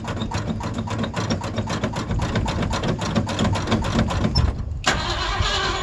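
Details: Old Ford Bronco cold-starting in December, described as very cold blooded and hard starting. The starter churns steadily for nearly five seconds before the engine finally catches, a slow, hard cold start.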